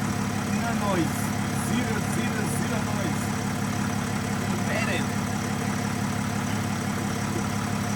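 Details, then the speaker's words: Nissan Navara V9X 3.0 dCi diesel with AC on, after replacing the crank pulley (harmonic balancer) that rattled with the AC compressor engaged: steady, even idle with smooth low rumble, no rattle or knock; fixed. "as you guys can see right now no more noise when the AC is on so fixed"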